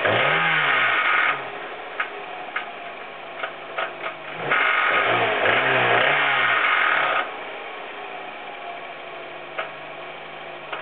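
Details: Hyundai Coupe petrol engine blipped twice, sharp metallic knocks cutting through idle between revs; rod knock, distorted con-rod found to be the cause.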